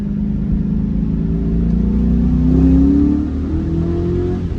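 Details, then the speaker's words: 2003 Ford Mustang GT on the road after new MSD coils and spark plugs cured a bad misfire, phone laid down: engine note climbs smoothly under throttle, pulls cleanly with no stutter or misfire over road rumble; healthy. "Everything feels so much better feels up to get up to go what am I talking about it just feels healthy no stutter whatsoever it's ready to Boogie"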